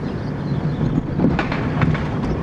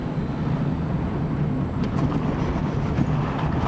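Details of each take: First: Dodge Neon driven over a rough road. Dull bang-thump noises on each bump come from the front end over road and wind noise, traced to worn front sway bar bushings. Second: Dodge Neon driven on the same rough road after replacing the front sway bar bushings: steady tyre and road rumble with no knocks or thumps; the earlier front-end thump is gone.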